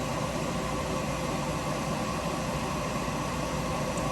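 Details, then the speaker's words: Refrigerated centrifuge with balanced rotor spinning up to 3,000 RPM, programmed 4 °C for 10 minutes (reads 11 °C at start), pelleting XL1-Blue culture; steady even whirring hum through the whole machine, no knocks, rubbing or wobble; normal spin-up. "When we see the RPM going up fast, you can hear it humming the whole machine a little bit. Now we're at 3,000 RPM, and it will go for 10 minutes."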